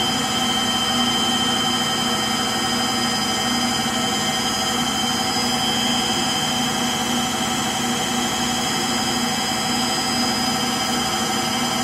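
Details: Frigidaire Gallery front-load washer GLTF1670AS1 in final spin: loud, steady jet-like roar with a high whine, likened to a JT8D jet engine; worn motor bearings.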